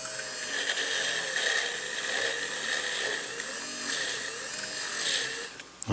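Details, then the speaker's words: Innocraftsman mini drill press with a bit of about 2 mm, after a slight grittiness the owner thought might be internal gearing: high steady whine sags and drops out; the motor overheated and shut down. "And B, it overheated again. That's interesting."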